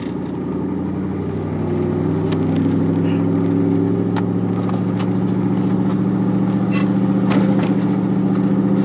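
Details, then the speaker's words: Vehicle engine running: steady hum with loose irregular clicks and rattles about three to four a second; owner first suspected transmission or transfer case, then says it's in the engine; cause not confirmed. "Clicking. It's like a rattling type sound. You hear it once, if I start it up."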